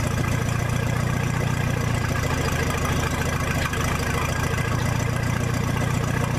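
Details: 1966 U302 after corrected rebuild issues, out under its own power: even, steady low rumble at idle, loud and open with no muffler, no knocks or misses; normal healthy idle.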